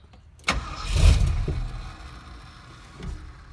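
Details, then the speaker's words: 1971 Ford crew cab with a freshly rebuilt 352 FE V8 (new cam, lifters, bearings, rings, oil pump), 2-barrel carburetor and manual choke, started on a warm day: a brief crank, then it catches cleanly into a steady rumble with good oil pressure. "Let's fire it up. Manual choke. Check out this oil pressure when it starts, pretty good."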